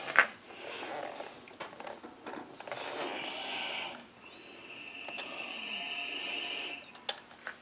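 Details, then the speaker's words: Leak-down test on a twin-cylinder engine (about 200 psi compression per cylinder), cylinder at top dead center, regulator backed off: steady airy hiss for a few seconds as test air escapes past a leaking exhaust valve. "coming through that exhaust valve so all right"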